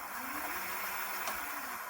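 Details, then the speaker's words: QMWheel D2 e-bike rear hub motor after resoldering broken green hall sensor wire, wheel lifted, throttle applied: soft, even hum rising smoothly, no stutter, grinding or cogging; hall pulses restored, working normally. "Just like that. Working beautifully."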